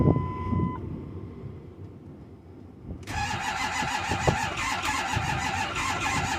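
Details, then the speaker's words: Ford F-250 6.4 Power Stroke diesel, cold start at about 2 degrees; slow, labouring crank that never fires or catches; cold crank, no start. "nope we're out folks"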